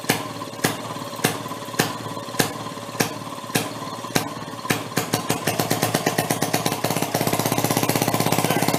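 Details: 1937 Maytag two-stroke washing-machine engine: switched from closed to open, slow heavy pops about every half second, then uneven rapid firing with skips and stumbles, kicking out fire; breaking up, cause unknown, owner hopes rings aren't burning.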